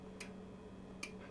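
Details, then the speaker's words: Shelly EM energy monitor's internal switch (220 V, 2 A max, can drive an off-peak contactor) switching: two crisp clicks about 0.8 s apart over faint room hum; relay operating normally. "donc là nous pouvons voir l'interrupteur vous l'entendez claquer"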